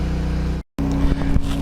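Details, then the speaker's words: Pulsar G12KBN dual fuel 12000 W generator, full synthetic 10W-30, powering a 4500 W water heater, 61 Hz, about 121 V: steady low engine drone holding even pitch through a short dropout, no hunting or stumbling; healthy under heavy load. "21 volts with, you know, this is quite a load, 4,500 watts. So, yeah, I'm happy enough for that."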